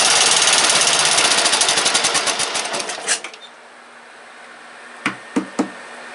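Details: Briggs & Stratton 17.5 OHV single-cylinder lawnmower engine, muffler on, battery at 12.7 V, being tested after tuning: quick, even, crisp beats for about three seconds, then a clean shutoff; normal running.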